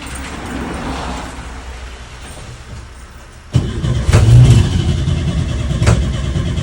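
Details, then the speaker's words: 1970 VW T2 Baywindow camper with a newly reinstalled engine: catches and revs rough and uneven under held throttle, then dies as soon as the throttle is eased off; owner suspects the mixture and idle screws. "so it's running basically like when it starts and I'm holding the throttle like this and it's you can hear it's revving and then as soon as I ease off the throttle it just dies"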